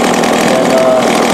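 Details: Two-stroke chainsaw with a Walbro/Zama-type carb, its needles seated then backed out one and a half turns and tuned by ear: a constant, clean high-revving scream with no bogging or surging. Normal high-speed running after the carb adjustment.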